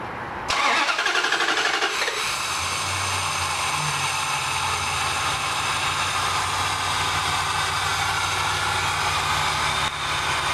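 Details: Dodge Dakota that shuts off when driving, started during fuel pressure testing (pump failing to hold residual pressure): brief crank, then even, steady idle with no stumble or surging; about 62 psi, within 55–60 spec.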